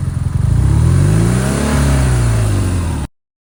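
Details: BMW R NineT, second rough idle in a week: engine flares up and hangs at a high steady drone, revs stuck at 4k, instead of dropping to idle until switched off and on; cause unknown.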